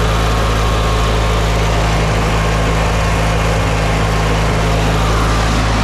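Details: Older Briggs & Stratton Sentinel by Murray ride-on mower after starter drive gear replacement: constant, even low drone holding speed without surging or misfiring; running healthy.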